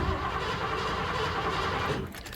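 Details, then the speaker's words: 1986 Ford F-150 5.0 L V8 that cranks but won't start: steady, even cranking cadence that never catches, suggesting compression is fine and the fault is likely lack of fuel or spark. "so the engine crank the the crank Cadence sounds even and consistent so we most likely don't have a compression issue so our issue could be lack of fuel or lack of spark"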